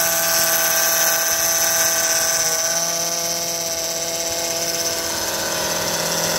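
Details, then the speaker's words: 2005 Honda Odyssey running with a loud high power steering pump whine that rises and falls in pitch and worsens as the wheel is turned left and right. Fluid level is fine; pump judged failing. Power steering pump whine. "you hear that morning sound it's a big wine this is the power steering pump right here this one and when you turn left or right it is steering it gets worse usually like that it's pretty bad"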